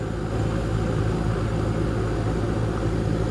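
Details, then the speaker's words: Goodman heat pump condenser just after its dead capacitor was replaced, powered on at the breaker: the compressor starts almost instantly and blows hot air, with a steady low hum under a smooth fan whoosh and no buzzing, clicking or straining. "Let's see what happens when we hit the breaker. Well, the compressor came on"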